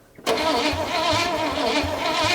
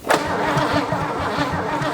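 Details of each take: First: 1957 Chevy V8 revived after 40+ years, water pump pulley flange failed, coil wire pushed on fully, no coolant in it: starter catches and it fires straight away, settling into a steady, even idle with no misses; normal idle. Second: 1957 Chevy V8 off the road since 1979, crank-no-start: steady, even starter churning with no firing or catch; still won't start, cause not yet found.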